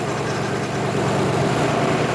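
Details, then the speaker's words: Supercharged C63 AMG, after engine build and supercharger install, first start: loud, steady V8 idle with even low rumble; lifter noise heard only a split second then gone, no top-end ticking; healthy normal idle. "don't even have lifter noise this time I heard it for a split second and it went away"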